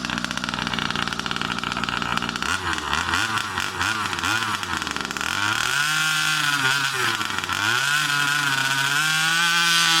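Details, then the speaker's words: New Rovan 36cc double-ring two-stroke in a King Motor Baja 5B, first warm-up run: buzz stumbles, surges, pops and cuts out as it revs; misfire because the carb wasn't primed again, starving it of fuel. "Since the last time I started it, I didn't prime it again, so that's why I'm getting that misfire. It's not getting fuel."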